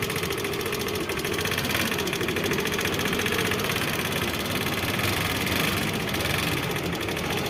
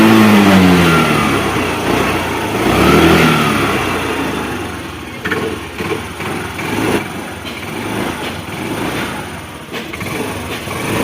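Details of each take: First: Hero Pleasure scooter engine with loud ticking from inside: fast, even ticking keeping pace with engine speed; tappet clearance suspected, tappets and timing chain to be checked. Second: Hero Pleasure scooter after inlet and exhaust tappets adjusted for engine noise: fires, revs and settles smoothly with an even beat and no top-end ticking; sounds healthy after repair.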